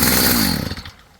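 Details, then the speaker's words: Stihl FS55 trimmer two-stroke, warm, after a Hipa carb kit fixed it: brief crisp buzz at steady speed that winds down cleanly at shutoff; normal running. "Carb kit from Hipa, fixed her right up. She runs good again."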